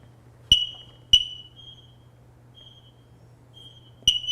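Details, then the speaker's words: X-Sense wireless interconnected smoke detectors, test button held: sharp high chirps at irregular intervals with fainter answering tones from other units throughout house; units communicating, normal test. "now it's running a test throughout the house, so I can verify that all these units are communicating, and if one of them should go off, they will all go off throughout the entire house, and that's what I was looking for."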